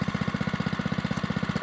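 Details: Brand-new Oryxearth 105cc pull-start mini bike, first start out of the box: even steady putter about thirteen firing pulses a second, no misses or knocks; healthy idle.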